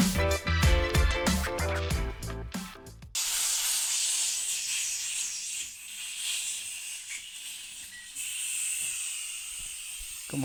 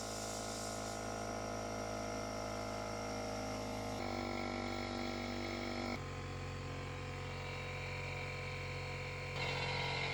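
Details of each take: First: DeWalt air compressor leaking heavily at the tank drain valve (part N286039), so it won't shut off and is slow to charge; a steady high hiss of escaping air after a burst of music; valve to be replaced. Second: DeWalt portable air compressor after replacing the leaking drain valve (N286039): steady hum with no hiss of escaping air, no leaks in hoses or other components, and it now shuts off at 150 PSI.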